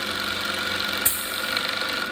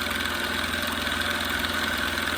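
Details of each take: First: Small salvaged air compressor first run, hose plugged off: steady, fast, buzzy piston hum at an even pitch, building pressure quickly against the blocked hose. Normal running under load. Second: Small twin-piston compressor test with unknown pressure-switch setting: steady chatter at three to four strokes a second, labouring as it slowly builds pressure. Wire gets very hot; pressure bleeds off, so it likely needs a check valve.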